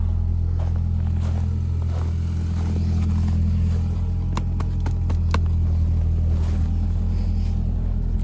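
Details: 2012 Ford Focus 5-speed, cold start at 10 degrees: heavy idle rumble with a loose, clunky uneven rattle that can be felt; cause unknown, owner suspects something vibrating in the dash, the sports exhaust, or motor mounts.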